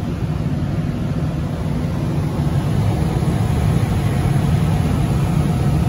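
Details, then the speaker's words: Johnson Controls/Unitary Products residential gas furnace after a no-heat call (flame lit ~3 s then dropped out, seven-flash ignition retry lockout), now serviced: smooth continuous low roar of burner and blower with no cut-outs or relight clicks; normal operation. "you can see still running so we are good to go"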